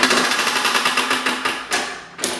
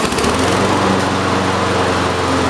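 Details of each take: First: Toro self-propelled push mower with blown engine, hand-pulled over: no compression, sharp metallic clacks a few per second, fading with each pull; rod knock. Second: Toro self-propelled push mower, single-cylinder engine with previously blown rod, oil possibly in cylinder after tipping: smooth even steady rhythm easing off; definitely running better, healthy.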